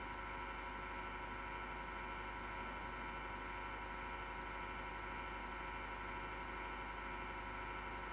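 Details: MSGW Plutos PC power supply fan, grinding since December 2015, vibration felt: steady coarse grinding hum with a buzzing edge that never lets up; PSU fan grinding, likely worn bearings.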